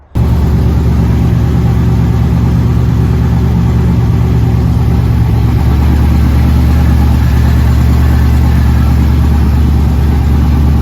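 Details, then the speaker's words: K30 Blazer V8 with new Holley Mid-Rise Ram intake, after reversing the backwards-installed coil harness, air filter not yet fitted: steady, even low idle with no knocks, misses or surges; engine up and running again. "i still got some little things to wrap up uh zip tie down the brake lines add in the air filter and uh tighten up some stuff but it is up and running again and i'm stoked"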